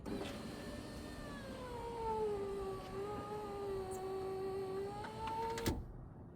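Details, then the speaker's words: 2004 Cadillac Escalade power window after replacing the window regulator: smooth steady motor whine at even pitch through full up/down travel, no grinding, clicking or binding; sounds good. "That sounds good."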